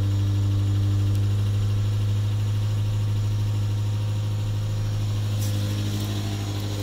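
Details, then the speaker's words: 2009 Toyota Tacoma 2.7 first start after timing chain job, Liqui Moly additive added: steady low idle with a faint rhythmic pulse about three beats a second; odd noise, possibly bad, source unclear. "It has been a while. Sorry, it's nighttime and stuff. Well, that sounds interesting."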